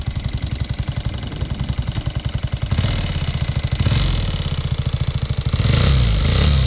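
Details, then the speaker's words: Homemade carbureted vehicle, while accelerating in gear, not in neutral: uneven pulsing engine rising with each throttle blip and extra knocking from the cylinders, cause unknown; white smoke seen afterward. "Il y a un truc dans les cylindres qui fait du bruit. Je sais pas c'est quoi qui fait ce bruit."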